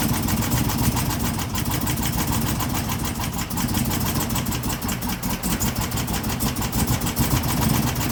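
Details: 2016 Chevrolet Camaro LT1 V8, rough idle during cylinder-by-cylinder coil disconnect test: lumpy, uneven stumbling idle that never settles. Misfire, later traced to a cracked valve spring.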